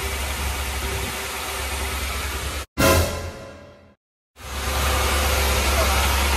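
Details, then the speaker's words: Honda Integra after LS-VTEC conversion, first start right after uploading the tune, in neutral with clutch in: loud, unsettled idle that cuts out briefly and picks back up, caused by a massive vacuum leak through a gap at the back of the throttle body. "So after starting the car, we found a massive vacuum leak, which is coming right off the back of the throttle body."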